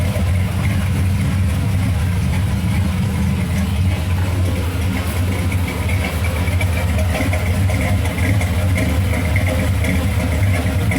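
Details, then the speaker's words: 1994 Chevy Silverado work truck with 1970s 400 cubic inch V8 swap, TPI, timing just adjusted: deep steady idle with slight lope, no knocks or misses; runs well, possibly slightly too much timing. "Got a little dunky dunk. Whole thing runs good."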